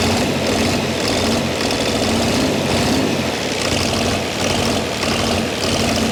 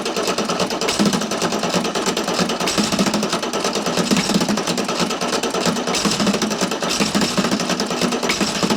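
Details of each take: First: Chrysler diesel (rebranded Mitsubishi 6DS70 six-cylinder marine engine), barn-stored for years, after bleeding air until fuel reached the sixth injector: settles into a steady even run, constant low drone, no misses or knocks; normal idle. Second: Chrysler (Mitsubishi 6DS70) marine diesel that sat for years in a barn, cranking on two old batteries. Fast, uneven chugging with a few cylinders catching but no run; fuel is barely dripping at injector five and none is reaching injector six.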